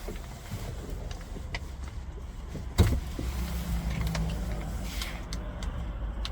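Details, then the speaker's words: 2011–2016 Scion tC at quiet idle rumble, then a sharp clunk from the locks answering a newly programmed aftermarket key fob and a brief motor whir; remote keyless entry working normally. "Here, we can see it's working, and it's all good to go."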